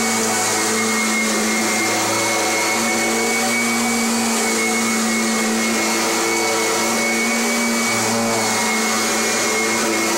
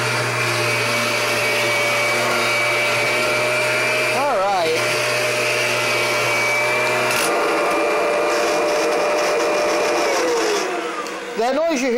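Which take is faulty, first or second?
second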